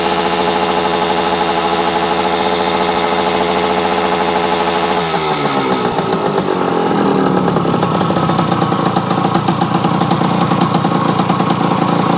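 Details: Yamaha AT-1 converted to CT-1, first start-up after rewiring, oil pump priming and carburetor fix, choke on, pre-mix fuel plus oil pump; steady even two-stroke buzz climbing cleanly as throttle opens, smooth crisp note, normal revving.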